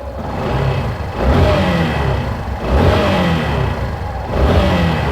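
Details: 2017 Yamaha Fazer 150 blipped three times with the stator disconnected: clean revs with no whine over the exhaust. The whine, resembling a bad bearing or clutch noise, was caused by a burned stator coil.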